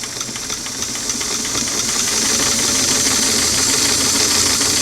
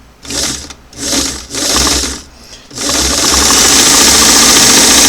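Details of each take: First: Singer sewing machine on a restored clamshell foot pedal, tested after quarter-turn adjustments with four carbons removed: bright motor whir with rapid stitch ticking climbs smoothly from a slow stitch; speed now controllable and nearly right. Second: Singer model 338 on a restored clamshell foot pedal with four carbons removed, tested before adjustment: motor silent, then bursts straight to a loud full-speed whir; the control acts like an on-off switch and needs its adjusting screw set.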